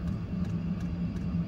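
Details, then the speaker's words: 12V 8kW Chinese diesel heater fitted on a boat, turned from lowest up to maximum setting (about 5.5): fuel pump clicking speeds up feeding more fuel to the burner, fan hum rising; normal operation. "The clicking you can hear has gone faster, so it's now pumping more fuel to the burner. The fan's increasing."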